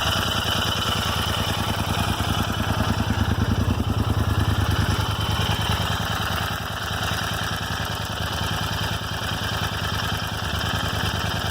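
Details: Royal Enfield Interceptor 650 twin at idle: steady low thump with a light, random tick like a clock's second hand from the left rocker cover area; Royal Enfield could not diagnose the source.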